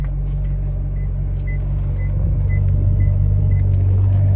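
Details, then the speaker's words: 15-year-old supercar at pre-purchase inspection: deep idle rumble with a light rattle about four times a second from the gearbox or clutch area; fault suspected, not confirmed. "there's also rattle which s like from the gearbox something's not right with the gearbox or something part of the clutch something's not right"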